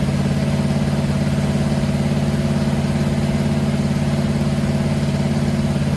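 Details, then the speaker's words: Freshly built Mopar 500 stroker big block on run stand, first start-up, timing advanced clockwise after a backfire through the carburetor: even, lopey idle about three and a half beats a second, no popping back; running steadily. "so here's a good little teachable moment for us since we had a backfire to the carburetor we know the timing is slow we're going to advance it this is a big block so we need to go clockwise just like that now we'll fire it up and see what happens"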